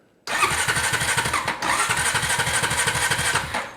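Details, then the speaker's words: Honda TRX350 Rancher two-wheel-drive manual-shift ATV, crashed and rough: starter cranks with steady chugging rhythm about three seconds but never catches; no spark at plug. "nothing happens no Sparky well one of the reasons this thing could have no spark well we have a crankshaft pickup sensor down on the stator then we have wiring we have a CDI box and then we also have ignition controlling stuff like the key switch and also the stop switch up on the handlebar"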